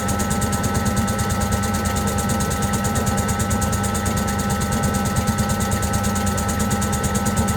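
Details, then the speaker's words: Servis (Eudora) 386 compact 3kg washing machine on spin after the main wash. Rough, uneven rumble with rapid rhythmic knocking as the drum struggles; it took long to balance and spun only briefly, leaving clothes poorly spun: unbalanced spin. "all right so they are not very well spun in other words it took that long to try and balance when it did eventually spin it didn't spin very long"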